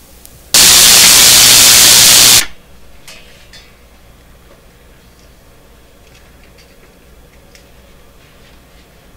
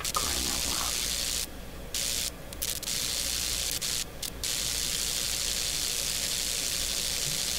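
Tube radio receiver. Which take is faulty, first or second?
first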